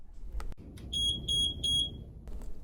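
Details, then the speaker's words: Plum 360 infusion pump distal occlusion alarm, meaning flow is blocked between the pump and the patient (kinked tube, clotted or subcutaneous IV): three bright high-pitched beeps over quiet room hum. "distal occlusion alarms will likely be the most common alarm you respond to it means that something has stopped the flow of medication distal to the pump"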